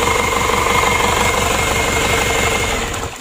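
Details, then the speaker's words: 2014 Isuzu Elf NKR 71 diesel after engine rebuild, new injector nozzles set to 2700 PSI, new rings, Bosch pump timed at 2 degrees; first start gives an even, steady idle clatter about four beats a second, no misses or extra knocks. "kita matikan lagi untuk hidupnya tidak ada masalah langsung nyes"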